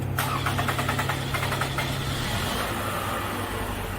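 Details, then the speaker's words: 2014 Toyota Camry four-cylinder with P0171 lean code: starter churns a couple of seconds before catching and settling to idle; fuel draining back or pressure not held suspected; hard start from low fuel pressure. "You hear how it took quite a while to actually start. So, I'm thinking that's fuel."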